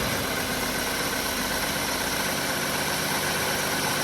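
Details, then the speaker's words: 1967 Ford Mustang carbureted engine warming up after opening main jet and adjusting float to fix lean idle (AFR 18-19 before); steady idle near 14.7 stoichiometric, even beat, no stumbling or popping. "So we're around stoic right now at idle."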